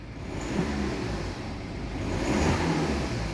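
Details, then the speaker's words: BMW 5 Series turbo diesel after turbo failure, new turbo fitted, air box and boost hose refitted, correct oil added: revs up smoothly and settles with a faint steady turbo whine, no knocking or rod noise; healthy running. "that sounds okay i can hear the type of whining so i'm not hearing any crazy no rod chaps"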